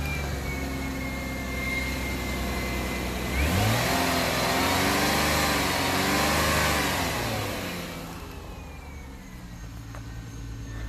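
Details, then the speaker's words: 2005 Ford Five Hundred after the exhaust flanges were clamped together: smooth, even revving with no ticking or puffing; quiet, with no exhaust leaks. "So this is at least quieted down now. Doesn't sound like it has any exhaust leaks at all."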